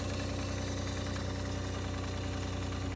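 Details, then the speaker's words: 80 Series Land Cruiser with freshly rebuilt engine at idle, after removing the gear-driven power steering pump (no chipped tooth found); strong reading at front of engine; dull knock about four per second, not perfectly even, persists; cause unknown. "after pulling out this power steering pump there was no chip to on the gear we started it up and there was still the same knocking noise"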